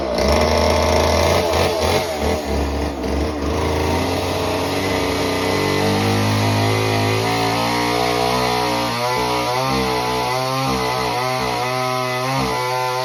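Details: Homelite Super Mini chainsaw, customer saw that wouldn't run, rev or idle, after idle speed screw turned about a turn and a half: two-stroke screams at steady high revs, pitch drops and holds biting into a big log; runs clean, cuts like butter.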